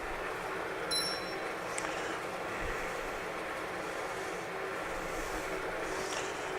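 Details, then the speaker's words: Used, freshly painted 15" x 42" LeBlond Regal lathe in threading mode with the lead screw turning: steady, even whir, no knocking or chatter; all speeds and gears checked, sounds healthy. "I have the mic on right here so you can see them right next to the Head no chatter everything sounds good in there"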